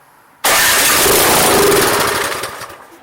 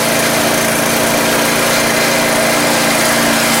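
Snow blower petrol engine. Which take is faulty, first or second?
first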